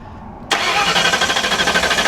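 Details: Hurricane-flooded 1992 Ford Crown Vic with 11,000 miles, cranked while spark is checked: the starter turns at an even, quick pulse with no catch or flare of revs. Cranks but will not start; the cause is not confirmed.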